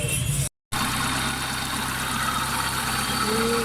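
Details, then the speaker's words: Hyundai Santro petrol engine after tappet adjustment (two piston and two exhaust tappets had been closed; misfire/missing before), battery low: an even, smooth idle with no knocks, misses or ticks. The engine runs fine. "गाड़ी start है, मेरी battery down है, बिल्कुल ठीक है, light on नहीं हो रही। स्मूथ है इंजन, बिल्कुल ज़बरदस्त सेटिंग हो गई है।"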